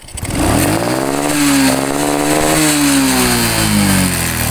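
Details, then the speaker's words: Honda Supra X 125 carburetted motorcycle revved to about 3/4 throttle: wavering, stuttering "ngok" snoring note that limits like a rev limiter, worse at mid-to-high throttle; ignition misfire, not carburettor, plug or fuel, traced to the red charging-circuit wires. "Nah jadi seperti itu Bolo ketika gas gas naik tuas di putar kurang lebih diangkat 3/4 ya Bolo itu ada suara ng gitu Bolo apalagi gas menengah ke atas itu suara semakin terdengar gitu Bo"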